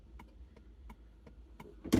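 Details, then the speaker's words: Neglected Vauxhall Calibra being revived: turn-signal relay clicks fast and even, nearly three ticks a second; hyperflash from a blown indicator bulb on the left side, right side okay. "I've got to try the indicator still works on the dashboard now we got an indicator Ball B cuz it's flashing"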